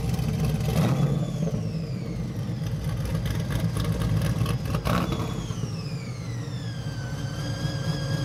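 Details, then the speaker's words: Chevy Nova pro touring build, supercharged with a cog-drive blower, dyno tuned; a lumpy idle with a high whine that rises and falls with revs. Normal supercharger whine. "Hard to see, but cog drive on the supercharger got a nice whine to it. Sounds really good."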